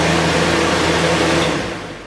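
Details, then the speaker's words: Drying fan plugged into the wall and run on high during water mitigation, rated for about 14–16 feet of air drying; loud steady rush of air over an even motor hum with no rattle or knock, easing off at the end: normal running. "Okay, so we have our fan up and going. But all we're doing is just blowing moisture around the room."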